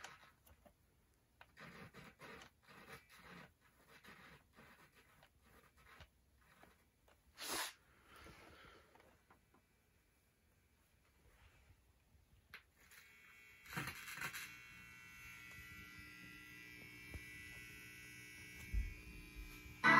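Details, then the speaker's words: 1970s Lafayette LR-1008 receiver with a scratchy split volume control that had dead spots: faint scratchy crackles as music plays, still slightly scratchy after a first DeoxIT spray into the control; better after a second spray. "spray it in the deoxite which my dad recommends and now I'm going to give it a test and see if it's any better still a little scratchy"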